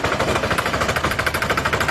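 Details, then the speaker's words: Honda scooter CVT: fast hard rattling, about a dozen knocks a second, from the belt drive; something wearing out, suspects include clutch outer, transmission bearing, drive facing, fly balls, clutch; source unconfirmed. "Strange noise from CVT. Something is wearing out."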